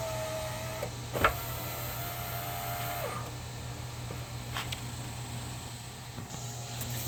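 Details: 2000 Saturn SL2 driver's-side window motor and regulator tested with the switch temporarily reconnected, door panel off: steady even hum through full travel with only small clicks; normal power window motor operation.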